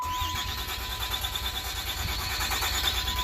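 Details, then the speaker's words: 2007 Dodge Ram 2500HD 6.7 after a remanufactured module was fitted (vehicle configuration not programmed, lost communication codes): now cranks steadily at about three beats a second but never fires, tach shows no rpm. Crank no start. "it cranks over but i have no rpm attack either i have an rpm i don't have no movement on the rpms so okay it cranks but it's still not starting"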